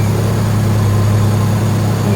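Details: BMW E46 that had a torn intake boot and a bad high-speed misfire, first start after new intake boots, spark plugs not yet changed: it catches and settles into a steady, even low idle with no stumble or hunting.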